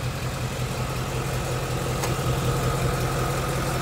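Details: 2016 Ford Mustang GT 2nd-gen Coyote V8, 20,335 miles, just after 4th oil change and a 2-mile drive, A/C on: low idle with faint regular light typewriter tapping underneath, about 160 a minute; owner suspects new oil, cause unconfirmed.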